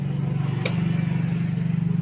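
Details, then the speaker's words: Yamaha Mio Soul GT fuel-injected scooter, key-on fuel pump priming with pressure gauge fitted on injector hose; steady low electric hum with quick flutter for a couple of seconds, reading 38–39 PSI, pump still good; normal priming. "Oke, sekali bro, terbaca hasil pengukuran itu adalah 38 sampai 39 PSI. Tandanya pompa injeksi ini masih dalam keadaan bagus"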